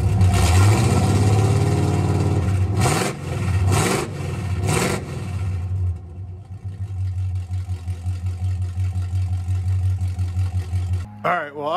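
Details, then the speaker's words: 1984 Camaro Berlinetta straight-piped with a three-inch single turn-down exhaust and no muffler: deep loud V8 rumble, three sharp throttle blips, then raw lumpy idle. Loud exhaust without muffler. "so just a three inch single turn down it's loud so I'll let you guys hear that in a second"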